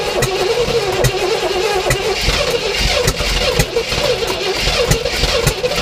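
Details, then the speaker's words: 1967 Oldsmobile Toronado project with new spark plugs, plug wires, oil and filter: steady, rhythmic starter cranking with even pulses while the throttle is pumped and fuel is poured down the carb. It never catches. The no-start is suspected to be fuel supply. "so keep pumping like that and then when it sounds like it wants to run i think just hold the gas down okay so that's gonna let a bunch of air and the rest of the fuel in to get it kind of running"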